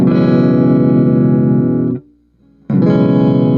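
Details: Guitar through D comp pedal into amp after cleaning its input jacks: sustained chords ring clean and steady, with no crackling or popping; clean guitar signal.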